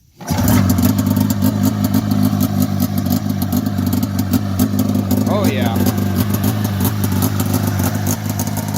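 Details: 1990 Polaris Indy 500 snowmobile that sat outside since 2005, with carbs cleaned, new plugs and new gas, belt removed and a holed header pipe. It catches on the first pull and settles into a busy, steady, even two-stroke idle, running fine.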